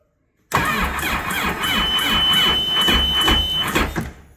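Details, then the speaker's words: Sea-Doo RXT jet ski after rebuild with machined sleeves, oversized pistons, new pump and supercharger: slow uneven cranking about three turns a second with weak catches, won't fire; owner suspects extra resistance from the new pump, then uses jump box. "it almost did. Come on. Dang it. Let's get the jump box. Just a little bit extra resistance, I guess, with that new pump on."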